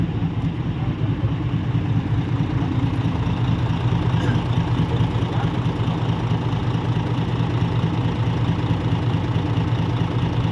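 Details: Diesel dump truck being compared with another for purchase: deep, even diesel rumble holds a steady rhythm with no knocks or misses; this one judged to sound tighter than the other, a solid, healthy idle.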